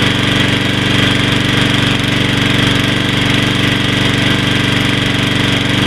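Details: After carburetor cleaning, first start of a Troy-Bilt 21" 675 Series mower with Briggs & Stratton 6.75 gross torque engine: fast, even chatter at steady speed, no surging or lack of power; starts much better, running normally.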